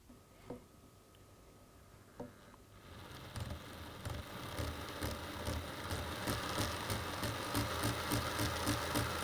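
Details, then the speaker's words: Class 22 DC model locomotive on a test roller stand, powered from an aged transformer checked with a voltage tester: the small motor spins up into a fast, regular throb of about three pulses a second. The cause of the throb is unclear. "As you can hear, it's got a little bit of a throb to it, which is a little bit disturbing, but hey, we'll see how it runs on the track."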